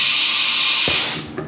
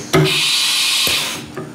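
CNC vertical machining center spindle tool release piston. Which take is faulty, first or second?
second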